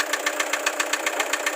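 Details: Toyota HiAce Commuter 2KD diesel at idle: sharp, even knocks about seven or eight per second over the idle; clear diesel knock, cause not yet known.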